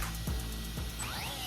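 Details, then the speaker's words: Arrma Big Rock RC truck on 6S with stock motor, after a 118 mph speed run: rough rattling grind under a rising motor whine with no drive; gears let go, custom spool suspected failed, drivetrain then locked up. "Okay, the gears let go. Hear it? I think my custom spool let go."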